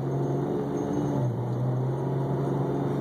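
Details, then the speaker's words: BMW E46 automatic pulling away cold: engine drone sags briefly then surges, a jerky shift flare, smoothing at higher speeds; later found very low on transmission fluid (about 3 quarts). "can hear it a lot right there and once it gets in the higher speeds tends to go pretty smooth"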